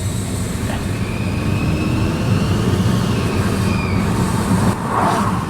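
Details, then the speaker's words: Car with check engine light for upstream oxygen sensor, low on fuel: thin high-pitched whine climbing with revs; owner found nothing on the engine and suspects the transmission area; loud whine while revving. "It just screams. And I don't know. I'm gonna roll that window up. I don't know what it is."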